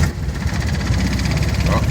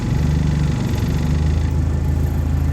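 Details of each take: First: Argo 8x8 diesel on a frosty morning right after glow plugs and a cold start: deep, lumpy idle with uneven beats, smoothing when idle is raised; rough cold-start idle until warmed up. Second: Argo 8x8 with a glow-plug engine, cold-morning start: rough at first, then given more idle it settles to an even, low idle with a steady pulse and no misfire while warming up to temperature.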